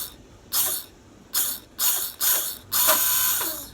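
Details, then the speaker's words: Honda Karisma / Supra X 125 starter motor after fixing the misassembled magnet housing that made it turn backwards: five short bursts of bright, even whirring, spinning the correct direction smoothly and stopping cleanly; healthy. "Nah, itu mutarnya ke kanan sekarang. Ke kanan tadi ke kiri sana."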